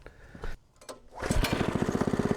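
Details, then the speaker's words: Log splitter's fairly new small engine, obtained not cranking, starts after its carburetor was cleaned a second time with carb cleaner: a few weak cranks, then it catches into quick, even firing and a steady healthy idle. "oh yeah that's what we want right there well I ain't going to kid you I'm a happy camper"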